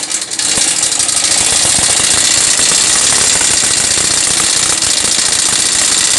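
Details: Yamaha SZ 150 motorcycle engine running with a loud, fast metallic top-end clatter swamping the exhaust, still noisy after timing chain and tensioner were replaced; oil level still present; top-end mechanical rattle, cause being traced.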